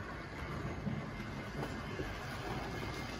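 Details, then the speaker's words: Late-1960s Tri-ang Hornby R.356S Winston Churchill locomotive with an X04 motor, hauling heavy Mark 1 coaches on Super 4 track. Low, even motor hum under a light rhythmic wheel rattle; it moves away smoothly without stalling or grinding. "this Loco is up to it because I'm just about to feed some power into its ancient x04 motor and it moves away nicely"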